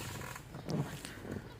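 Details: Clutch pedal pressed: short creaks and a thin squeak, from dry clutch master cylinder pushrod and clutch return spring at the pedal base; fixed by spraying lubricant and greasing the pushrod and spring.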